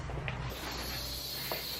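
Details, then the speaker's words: Free high-pressure pump/pressure washer: steady high-pitched hiss of air leaking at a threaded hose fitting, possibly loose or faulty, or from something inside. It is to be fixed with thread tape. "i don't know if you can hear that it's hissing needs to sleek in air somewhere either this is bad or something inside"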